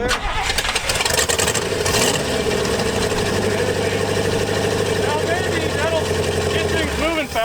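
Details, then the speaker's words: Carbureted engine at Hot Rod Power Tour, roadside breakdown: starter cranks steadily and evenly but never catches; fired when gas poured in carburetor, so ignition OK, fuel line check showed pump not pumping. "So I poured a little gas down your carburetor just to determine that it wasn't an ignition issue. So once we poured gas in, it fired off."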